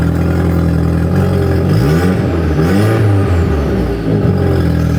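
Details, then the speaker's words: Audi TT after fitting the exhaust with a sleeve, engine revved: raspy puffing blow from underneath following the throttle; exhaust leak, blowing from up front rather than the middle or back. "yeah it's definitely blowing it's definitely blowing from underneath you can hear it it's quetting down now yeah it's blowing in the middle so let's have a look"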